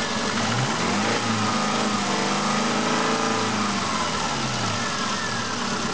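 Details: Subaru Impreza 1.5 L engine, 150,000 km, 5W30 synthetic oil, fully warm, recorded outside at -20°C: steady idle with an uneven knock of about three beats a second over the engine note; knock present, source not identified.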